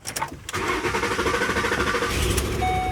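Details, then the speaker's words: Car starting right after a battery replacement with the terminals tightened: brief starter crank catches within half a second and settles into an even idle. Clean, healthy start. "right, it looks like we're good to go."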